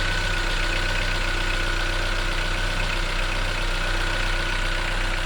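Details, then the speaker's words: 2014 Chevrolet Onix LTZ 1.4, 57,000 km, cold morning start: steady idle with fast light ticking from top of engine, two to three per second, fading once warm; owner suspects the engine itself, others suggest canister purge valve, unconfirmed. "Já que o barulho todo dela é aqui em cima, aqui ó. Aí quando o motor dá uma esquentada, ela dá uma parada."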